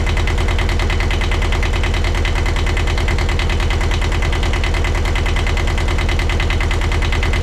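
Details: 1982 Catalina 30 small marine diesel, after replacing the blocked exhaust manifold that caused poor cooling-water flow, with thermostat and water pump refitted: even, steady idle pulsing about three times a second with no misses or knocks. Healthy idle.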